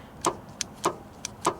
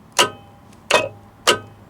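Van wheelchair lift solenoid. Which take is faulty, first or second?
first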